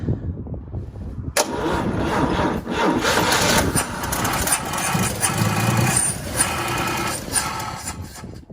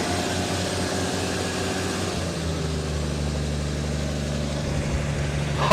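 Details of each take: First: Vehicle with 65,000 original miles, gas poured in to start: cranking breaks into a few seconds of ragged firing, then fades away; likely starved of fuel; catches but won't keep running. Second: 350 small-block V8 with 65,000 original miles, on its first start in two years, possibly on the original muffler: deep, steady, even burble with no knocks or misses; idling cleanly and healthy.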